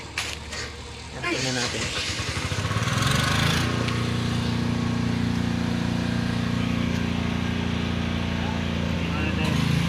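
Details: Howo 10-wheeler truck diesel cranks, fires and settles into a heavy idle with an uneven, repeating knock about three times a second; engine knocking, cause unclear.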